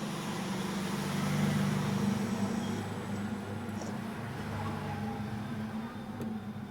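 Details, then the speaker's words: Amplifier board powered with no input, one speaker channel connected: steady low hum with a hissy noise floor, noise generated at idle. "இப்போ இதுக்கு எந்த ஒரு இன்புட்டுமே கொடுக்கல. ஒரு சேனலில் நான் உங்களுக்கு ஸ்பீக்கர் அவுட்புட் கொடுக்குறேன். பார்த்திங்கன்னா சும்மாவே பார்த்திங்கன்னா லைட்டாக ஒரு நாய்ஸ் வருது."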